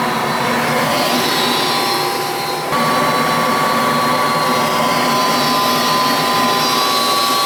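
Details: Goodman gas furnace, previously not heating, after new 20 µF fan-run capacitor and new main control board: steady, even blower whoosh with faint constant hum, no clicking or rattling; normal operation.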